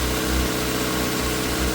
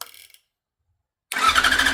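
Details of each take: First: Yamaha YZF R6 after fuel pump replacement, first start after sitting: smooth, even idle with a steady low hum and no knocks or misses; engine running normally. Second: Yamaha YZF R6 motorcycle crank-no-start: starter spins engine in two even bursts but it never fires, no fuel pump prime buzz at key-on; failed fuel pump, relay also suspected.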